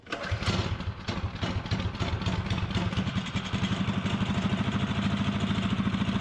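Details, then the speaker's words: Fiero-based go-kart small single after welding and rerouting its exhaust pipe: fires up and settles into a fast, even putter with crisp exhaust pulses and no misses; it sounds better and runs cleanly. "oh heck yeah that sounds better that sounds like progress"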